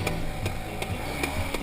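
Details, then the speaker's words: BMW F800GS on an off-road trail ride: sharp regular clicks, two or three a second, over the engine drone. The chain is clicking because mud is packed around the sprocket. "now you hear that clicking that's the first time I've ever heard that that was my chain"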